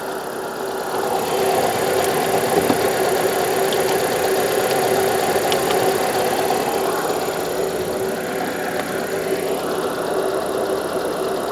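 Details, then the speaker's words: 2000 Mitsubishi Carisma GDI petrol, 69,237 on the odometer, first start on a jump pack, heard in the engine bay: steady, even idle with no knocks, misses or rattles. Normal, healthy sound. "Have a listen to that note. Yeah. Sounds all right, doesn't it? Sounds fine."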